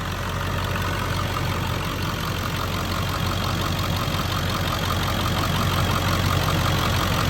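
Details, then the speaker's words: 2001 Ford Excursion XLT 7.3L Powerstroke diesel, 296k miles, stock, new injectors and fuel pump: even, rhythmic diesel clatter at steady idle, no misses or odd knocks, louder near the end as the exhaust is approached with no smoke; normal idle. "Last little pass here, I'll walk by the exhaust so you can see no smoke or anything blowing out. Sounds fantastic."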